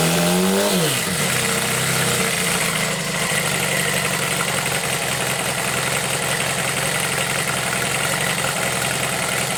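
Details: Homemade four-cylinder CD125four engine built from a Monkey, start test indoors with mic level lowered; head gaskets showed blow-by and were sealed; catches after a brief crank and settles into a fast, even idle with no knocking.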